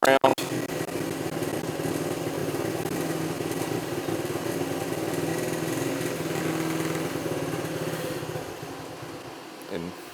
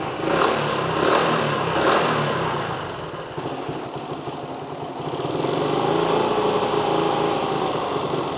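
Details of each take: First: 1973 Honda CT90 on its aftermarket carburettor, before the swap to a rebuilt original carburettor. The idle hunts, surging and sagging, then fades toward a stall; it won't idle without throttle and is sluggish on takeoff. The carburettor is suspected. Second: 1973 Honda CT90 on a cleaned and rebuilt vintage OEM carb replacing an aftermarket one, barely adjusted toward spec. The small single revs up and settles into a quick, even putter with a fan droning behind, worlds better than the aftermarket carb; normal idle.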